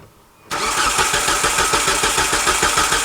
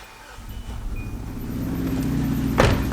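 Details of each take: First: 2003 Hyundai Sonata crank test with the ignition coil fuse pulled: the starter cranks steadily at about three pulses a second with even beats and no light strokes, so compression is even and there is no serious compression problem. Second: 2003 Hyundai Sonata with many check engine codes and almost no power, waste-spark ignition: rough, lumpy idle on two cylinders; disconnecting the 1-4 coil causes no change, so the bad ignition coil is confirmed.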